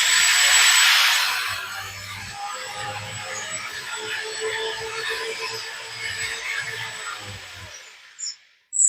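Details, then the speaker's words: Lesu 850K RC bulldozer after repair of its non-working right track, tracks reinstalled: small motors and pump whirr smoothly at an even pitch with no metallic screech. The track drive is running normally. "I got everything back together, tracks on, and it's working good."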